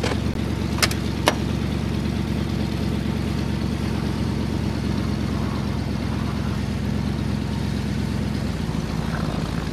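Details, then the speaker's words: 1978 Ford LTD, still cold after a -10°F start: steady, even idle sitting noticeably high, no knocks or misses, raised idle speed during warm-up before a short drive. "well she's free idling a bit high but see if we can go for a quick spin hopefully I don't run out of [Music] gas"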